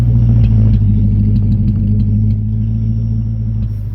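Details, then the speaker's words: Car with a BBK mid pipe and MBRP cat-back exhaust, at start: a deep exhaust rumble with an uneven stumbling beat as a cylinder drops out. Engine misfire; owner suspects dirty fuel injectors. "and you can now hear it missing"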